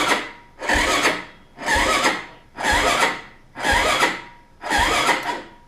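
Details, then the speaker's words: 2008 Yamaha Raptor 250 SE, reportedly big-bore, after starter replacement and wiring upgrade: labored starter whirring in heavy surges about once a second, dragging over compression; slow cranking because the battery is dead and needs charging. "It doesn't sound like it cranks over too easy, but just so you guys can hear it."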